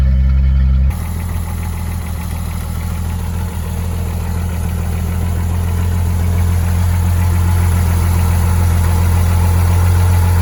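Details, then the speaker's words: 1986 Ford F150 Bullnose, 300 straight-six, cold engine at 40°F after sitting in snow, started on a hooked-up battery with starting fluid: brief start then deep, even, low-pitched idle, steady without misses or knocks; healthy. "gotta love it 300 is sitting there purring away and look at this even with all the weight on the cab and the fact that the floor is Rusty like new"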